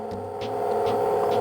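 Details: Baltra induction cooktop after repair of the on/off switch and the loud cooling fan: steady low hum with a soft even whir, fan noise now much reduced; normal operation.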